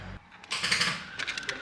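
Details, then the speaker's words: Ford EF XR6 barn find, first crank after transmission install, in neutral: short burst of rapid chattering clicks on key turn, engine never cranks; flat battery. "yep all right battery's dead we shall be back shortly"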